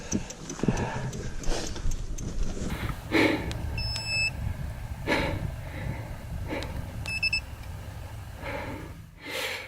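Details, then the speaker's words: Specialized Turbo Levo e-bike ridden uphill in cold, unseasonal snow: two short bursts of high beeps about three seconds apart over heavy breathing and trail noise; low battery warning, rider suspects cold hurting battery life, battery later died. "wasn't counting on the snow I can hear the bike beeping it's a bit cold as you can see"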